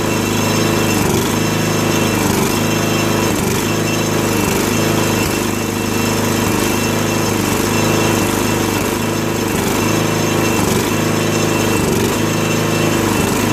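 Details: 2001 Murray Select LT riding mower after oil change and carburetor cleaning (float needle stuck open from ethanol, gas had flooded crankcase), run about three minutes: steady single-cylinder drone at slightly high idle, even firing, no stumbling or hunting; fixed.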